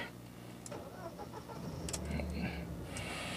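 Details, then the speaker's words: 1997 Mercedes-Benz C200 W202, 58,000 km: brief smooth even starter whirr catching quickly into steady smooth idle with almost no vibration, no grinding or clatter; healthy start. "Ya, bisa gengs dengar sendiri, itu suara starternya aja masih halus banget, men. Ini mesin udah nyala, gengs."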